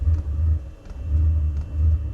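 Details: Diesel heater, restarted after removing scouring pad from main burn chamber and enlarging its hole: low deep rumble swelling and fading in even pulses about every 0.7 seconds; lights and keeps burning properly, normal firing.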